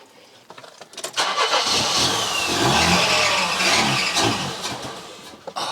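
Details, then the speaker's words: Mercedes W123 230E petrol, kept in a barn for 20 years: steady cranking at about two beats a second without catching, even after fuel was splashed in; owner suspects fuel delivery from a failed, leaking fuel pump. "I was hoping if I splashed a bit of fuel in there, it'd kick in and it would start drawing fuel through, but it didn't do it."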